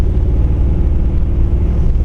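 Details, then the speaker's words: 1959 Chevrolet El Camino 348 V8 Tri-Power, about 200,000 miles, carb set for a 283, new plugs, wires, cap, rotor, lash adjusted: deep uneven rumble cruising with stumbling beat; steady miss, dead cylinder suspected, possibly lifter or camshaft. "Yeah, it sounds like it's got a dead cylinder, completely dead."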